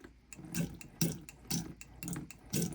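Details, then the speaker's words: Burstner Ixeo Time It 590 motorhome, tap lifted with the pump switched on: soft clicks about twice a second over a faint water trickle, the tap-head micro switch signalling the submersible pump to run; normal. "I don't know if you can hear that little clicking noise but the clicking noise is basically the little micro switch telling the pump when to run"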